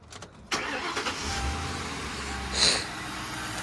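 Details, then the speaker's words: Ford Crown Victoria started after repairs (coolant temperature sensor reused, clamp refitted): quick crank catches at once and settles into a steady, even idle with no clattering or misfire; runs just fine. "And it doesn't make any kind of clattering noise. It doesn't run bad. It runs just fine."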